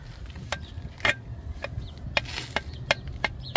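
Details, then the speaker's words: Worn lower control arm ball joint from a 2003 Toyota Camry 3.0, removed and rocked by hand: scattered sharp clicks about every half second, grease gone, metal on metal, causing clunks when pulling away and steering; arms being replaced. "ya que esto no debe de sonar así. Ah, como que ya se le acabó la grasa y ya está puro metal con metal."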